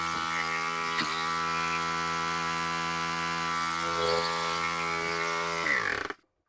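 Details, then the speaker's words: Husqvarna YTH2454 mower, 24 hp 44 cu in twin-cylinder Briggs & Stratton: buzzy steady run with light clicking and lopsided beat; one cylinder not firing (exhaust 84 vs about 380 degrees), clicking suspected from valve side. "this side here is not firing it I'm hearing a clicking sound"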